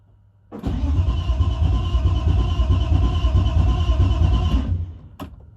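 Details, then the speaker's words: BMW E36 drift car, first start after fan, radiator, wiring, temporary exhaust and gas tank install: fuel pump kicks on, short crank, fires cleanly into smooth even idle with no knocks or misses; engine sounds healthy. "Yeah. It sounds like pumps kicking on. Motor sounds fucking fine. Yeah. Motor's chilling."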